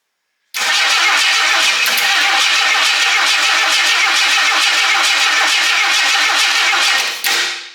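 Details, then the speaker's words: Fresh Ford 300 six in a 1954 International R100 pickup, cranked on a boost pack with ignition off and no fuel yet. The starter spins it at a steady, even pace with no stumbles or knocks. Normal cranking. "Sounds like it's cranking evenly. I don't think we have any fuel just yet, but I have my mustard bottle."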